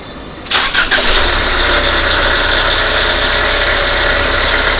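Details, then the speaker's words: 2019 Ford Fusion 2.0 starting and idling: busy metallic rattle from the defective alternator riding over the engine; belt removed to compare, alternator replaced. "you can hear that rattling. Doesn't sound so good, does it?"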